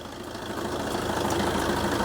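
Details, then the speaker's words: 2009 Fiat Doblo diesel van, idling on a freezing November morning during a pre-MOT lights check: steady, even diesel clatter with no knocks or misses. Normal diesel idle. "Making me sound like a liar now. It sounds all right. I'm Not panicking."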